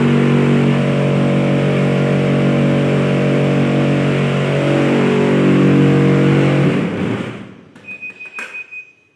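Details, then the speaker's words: Laundry tumble dryer before repair: loud, steady droning hum because motor speed is unstable. Worn motor mount rubber bushings are the cause, and they damaged the drum belt and brake pads. "Nah, jadi seperti itu tadi ya suara berisiknya, dia terlalu mendengung."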